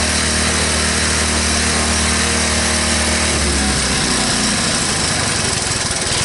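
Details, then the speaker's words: 1983 Honda ATC185S three-wheeler, first start after sitting, with the frozen front brake replaced and the recoil starter swapped: single-cylinder idles steadily, no smoke, no bottom-end knock, and the valves sound good. Normal idle. "no bad sound from the motor when you idle and down that low if there were bad sound you would you would hear it um in the bottom end valve sound good"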